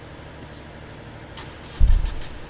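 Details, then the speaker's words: 10kVA diesel generator started via remote signal (terminals 5 and 24 bridged, yellow remote button): quiet, then brief crank and low rumble catching and running on; normal crank and start. "now if i press the yellow button the remote it will crank because i've shot the signal"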